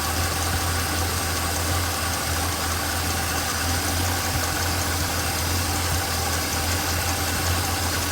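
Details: Small-block Chevrolet V8 at idle with one rocker deliberately backed off during valve adjustment: fast light clatter ticking with engine speed. Valve lash clatter.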